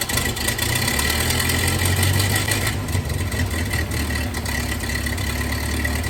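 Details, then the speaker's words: 1931 Ford Model A that sat in a barn for years, started with starting fluid and with the timing advanced fully just to idle: a slow, lumpy, loping idle that barely holds speed. The ignition timing is far off. "so I had to advance the timing all the way down just to get it to really idle so it's uh timing I think is pretty far off"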